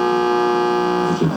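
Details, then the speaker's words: Vintage 1970 Pontiac AM/FM "red dot" stereo radio on a bench test, AM band: steady buzzing hum with overtones on weak AM signal, blamed on the steel building, with FM unaffected. AM reception buzz; the radio itself is fine. "you'll hear kind of a buzzing in the radio on am and that's the steel building unfortunately"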